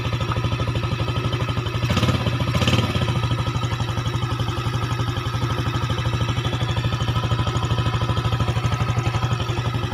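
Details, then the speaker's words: Yamaha Jupiter engine after fitting Mio connecting rod and piston, idling: even, firm low thumping with a brief throttle blip and no knocks; compression back to standard, sounding denser than the previous weak, rough running. Normal idle. "sekarang sudahah suara nya standar atau pastinya lebih padat ya kalau sebelumnya rada ngempos ini lebih padet suaranya karena kompresinya standar"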